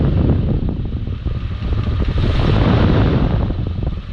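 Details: Big-block Chevy in C10 project truck, heard from underneath at idle; deep rumble with quick faint tapping like rod knock from bottom end; cause was worn mechanical fuel pump pushrod, fixed by new fuel pump and rod.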